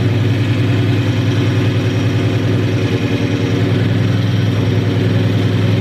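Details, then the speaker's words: 2003–2004 SVT Cobra (Terminator) supercharged V8 at idle on first startup after a full engine rebuild. It holds oil pressure and smokes a little. A fast, uneven light chatter of about three per second rides over the lumpy idle. Cause unclear; the owner suspects the belt. "Hear a little bit of a rattle. Could be something with my belt. I don't know."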